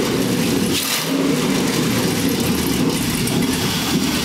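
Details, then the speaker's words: LS1 V8 in a Hupmobile, second startup after finding a huge vacuum leak: strong, even V8 idle with steady low rumble, no hiss or stumble; sounds better, normal idle. "We found the huge vacuum leak right here. Here we go. Sounds a little better."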